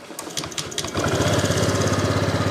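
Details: Honda Vario scooter brought in hard to start, after fuel system work: a few starter cranks, then the small engine catches at about one second and settles into an even, quick idle; normal start and idle.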